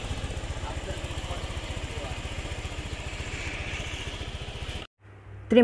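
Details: Honda Beat FI single-cylinder scooter engine, after teardown, reassembly and oil refill, on its start test: a quick, even thumping beat with no whistle or roughness, then it shuts off. The earlier rough, whistling noise is gone and it sounds healthy.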